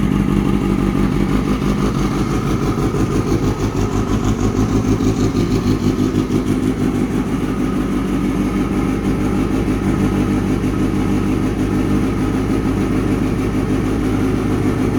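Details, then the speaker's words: Kawasaki ZX6R streetfighter build after fuel pump problem resolved, exhaust sound at start-up: crisp even idle with clean throttle blips, no misses or knocks; healthy four-cylinder running well. "so that's what she sounds like absolutely amazing"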